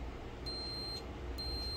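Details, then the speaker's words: Multimeter set to continuity beep mode before testing a motorcycle pickup coil: two brief, thin high-pitched beeps as the probes touch, over a quiet hum; tester working normally. "तर असा आवाज आला पाहिजेल"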